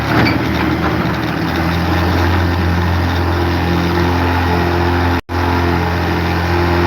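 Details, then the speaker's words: Tricycle small engine with choke in: lumpy uneven chugging, stumbling as if about to stall, won't hold idle; owner suspects blown head gasket, not confirmed. "I think I might have some sort of blown head gasket or something detrimentally wrong with this tricycle. It doesn't idle and then that's the sound it makes whenever you have the choke in."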